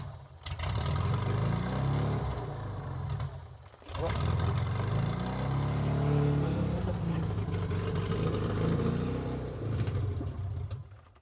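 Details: Metro 1275 A+ manual engine newly swapped into a classic Mini, first run with a straight-through exhaust and choke and accelerator not connected; oil pressure comes up instantly. Throaty open-pipe drone with a deep burble, steady idle and light blips; healthy.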